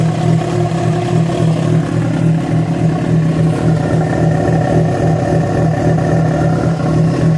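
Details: Yamaha FZ6 revving with an uneven, pulsing roughness over the exhaust note, about four beats a second; strange noise that began after riding about 70 km on two cylinders due to a failed ignition coil connector, cause unclear.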